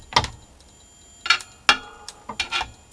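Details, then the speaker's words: Philips CJ414 34cm portable CRT TV just powered on: irregular sharp snaps and crackles about every second over a faint high whine; EHT arcing around the ultor (anode) cap, no sparks visible. "Ooh yeah, I can hear that crackling. So that's definitely around the ultor cap there."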